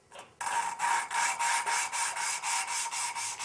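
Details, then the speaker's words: Hand-lapping a valve on a 1974 Honda CB750 engine rebuild. Steady rasping strokes, three to four a second, go from gritty to smoother as the lapping compound wears; tapping the valve a couple of times brings fresh compound back in. "Here it starts to smooth out right there. If you tap it a couple times, it bring more compound back in."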